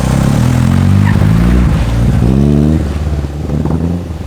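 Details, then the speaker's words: RWD Honda Civic at the track: revs rise unevenly and engine stumbles and breaks up, worse under load; hesitation, cause not found. "just you guys could hear it for yourself you're here hesitating and under load it only gets worse so looks like this honda's done for today"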